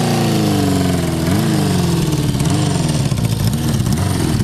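Old single thumps into life after a kick, then runs and blips up and down with uneven, lumpy revs before settling.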